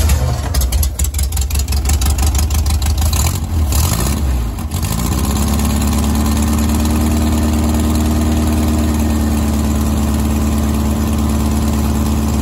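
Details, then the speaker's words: 1970s Gazelle kit car (1929 Mercedes SSK replica) on VW Bug chassis with VW flat-four, sitting for years, gravity-fed fuel: cranks, catches, then steady even idle with clean regular beat. "well I'll just see if it starts and it did unbelievable"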